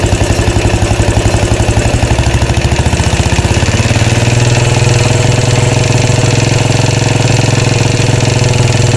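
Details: 2013 Royal Enfield Classic 500 single, rebuilt after teardown for stray M5x35 bolts: decompressor noise gone, idle thumping about two beats a second with a rattle swelling and fading; oil level okay, owner will check tappets and rockers, source unknown.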